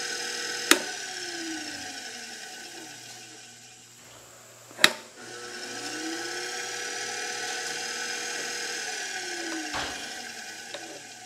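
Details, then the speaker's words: Electric motor with adjustable speed control, top speed 1720 RPM: even high-pitched whine sweeping smoothly up and down with speed, a few clicks; sounds healthy, though the owner doubts the speed control works as it should. "that is so cool that that actually works know if it works like it should seems like 35% would be more than that but whatever it"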